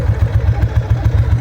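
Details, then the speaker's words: 1997 Ducati 750SS with Keihin FCR39 carbs, start-up before the first test ride after carb synchronisation: starts on the button into a crisp, even, steady V-twin idle. Synchronisation cured the earlier lumpiness. "starts exactly on the button and idles very nice. The synchronization was really really what what solved a lot of the lumpiness in the beginning."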